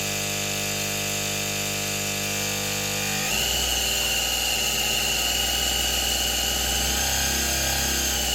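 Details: Motor from a 1970s Soviet Czajka 3 vacuum cleaner, run after replacing both bearings (16100 and 627) and bypassing the capacitor: high whine suddenly drops, turning rough and fluttery; rotor likely needs replacing.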